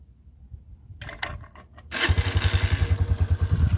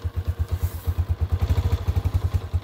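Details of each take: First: 2022 Honda CG125L at 500 miles, cold engine started on half choke on a hot day: a short crank, then it fires first time and settles into an even, quick idle thump; a clean cold start, typical CG125 sound. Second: 2022 Honda CG 125L, 500 miles, started cold on half choke on a hot day: single thumping about ten beats a second, slightly uneven and clattery; rough cold idle, cause not pinned down.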